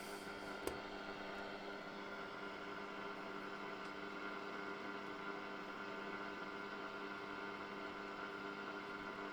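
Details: 1974 Hacker Super Sovereign RP75-MB transistor radio, before repair: only a flat steady hiss with faint hum while tuning across the dial, no stations; owner suspects the oscillator is not working.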